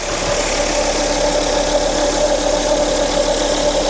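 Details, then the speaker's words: 2004 Volvo S80 after radiator replacement following severe overheating, idling cold before reaching temperature: steady, even idle with faint constant tone, no misses or knocks; sounds healthy. "Sounds smooth. But we'll see what happens once we get it up to temperature."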